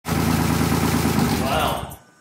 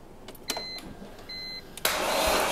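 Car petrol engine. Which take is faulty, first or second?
second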